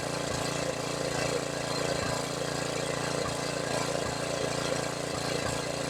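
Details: $100 used generator, long sitting, with a rebuilt carburetor and a fuel leak: even mid-pitched engine hum with a soft regular tick about twice a second, speed holding steady; it runs normally.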